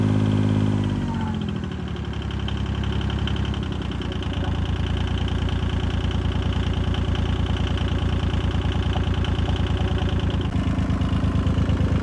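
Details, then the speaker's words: 1977 Yanmar YM2500 diesel tractor after fuel filter replacement: catches after short crank, settles into steady even diesel clatter at idle with no stumbling; normal idle, sounds healthy. "There you have it, man. Everything sounds really good. It sounds healthy. It's a good running tractor, y'all."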